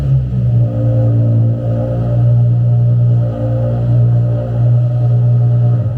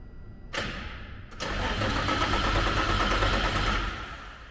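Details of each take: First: Nissan 350Z DE race car after Tomei Poncam install and fuel pump fuse refitted: catches almost instantly, quicker than in a long time, and settles into a steady, even low idle with no knocking or misses. Normal start and idle. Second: Nissan 350Z DE race car, first start after installing Tomei Poncams: starter spins the engine at an even beat for a few seconds but it never catches. Cranks with no start because the fuel pump fuse was in the wrong spot.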